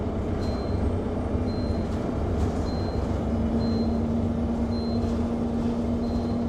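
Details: Go-Ahead London Enviro 200 MMC 10.9m bus SE310 YX69NNP on Route 364, recorded onboard while driving; short high beeps roughly every 1.1 seconds over engine and road rumble, persistent warning alert of unknown cause.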